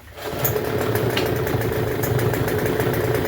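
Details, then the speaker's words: Troy-Bilt TB272V two-stroke leaf blower, found free: hard starting. After a pull it catches and buzzes rough and uneven at low speed, barely staying running, firing on half choke and on choke without throttle. Owner suspects carburetor adjustment or fuel lines, unconfirmed. "See, that's all it does. And I'm not even touching the throttle. See? It wants to fire on half and now when it's on choke."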